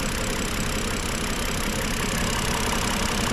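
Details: BMW engine, not warmed up: rough idle with a steady knock about three per second under the engine noise; knock clear, cause unknown.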